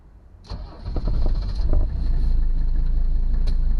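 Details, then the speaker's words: 1982 Mercedes 300D diesel, cold start after sitting a week and a half: short crank, fires promptly, settles into steady even diesel clatter at idle with no misses; sounds healthy, runs like a top. "So this car has been sitting for about a week and a half. So let's see what the cold start is like on this thing."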